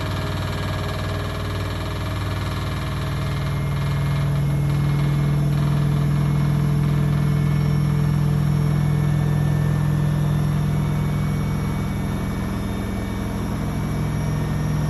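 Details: Blomberg RapidJet washing machine: loud hum with heavy rhythmic drum knocking nearly three times a second, worsening over time; owner suspects the left shock absorber and plans to replace it.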